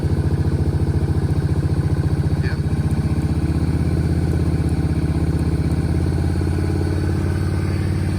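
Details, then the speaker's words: Kawasaki KFX 700 V-twin ATV on very old fuel: steady, even idle with smooth low thump, no misses or knocks; idle slightly low with a stiff adjuster, but running cleanly. "It seems to be running pretty good. The idle's a little bit low, but the adjuster is kind of funky. It's tight and don't want to really adjust too much. But actually, it sounds like it's idling pretty good right now."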